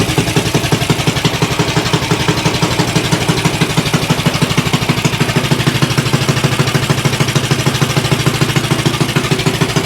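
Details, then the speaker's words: Axis M200 196cc mini bike, previously non-running, kill wire not working, no fuel leaks seen: steady, even pops at idle, no stumbling or hunting, very loud exhaust; engine sounds healthy. "All right. Engine sounds good on here. That exhaust is ridiculously loud though."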